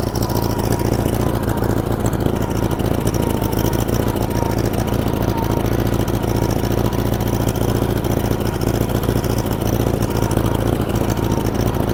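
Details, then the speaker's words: 1947 Farmall Cub on a replacement engine, the original having been frozen and busted. Low idle chugging at about three or four beats a second with an uneven, skipping rhythm; one cylinder missing because one valve is stuck. "And yeah, it's pretty sweet. It miss It's missing cuz one valve is stuck, but it's pretty sweet."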